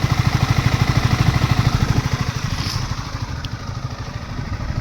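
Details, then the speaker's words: Yamaha MT 15 motorcycle at idle after full service (fuel injector cleaned of dust, self motor, battery, spark plug): crisp, regular single-cylinder thump about three beats a second, smooth and steady with no misfire; normal idle, running well. "வண்டி இப்ப நல்லா ஓட ஆரம்பிச்சிருச்சு."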